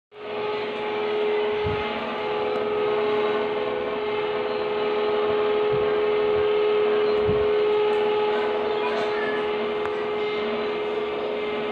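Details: Samsung indoor AC unit: steady fan hiss with a fixed hum tone running through it and a few dull thumps; noisy, cause not clear.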